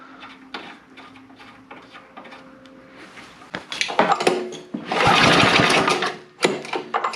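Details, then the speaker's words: Neglected snow blower engine with good spark and two-stroke gas poured down the intake: repeated rope pulls turn it over in short bursts but it never fires; a valve issue is suspected. "she wanted to go didn't it now that's a little weird i mean i poured gas right down that old throat hole there with the sparky boy a spark and there's no reason she shouldn't be popping off so we may have a valve issue"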